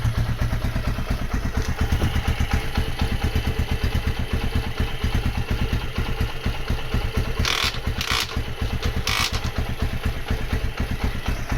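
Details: Honda GL100 after rebuild to about 160 cc with Megapro piston, gear changed 40 to 36: steady, even single-cylinder thump at relaxed idle, no knocking or rattles; light exhaust note, engine sounds healthy.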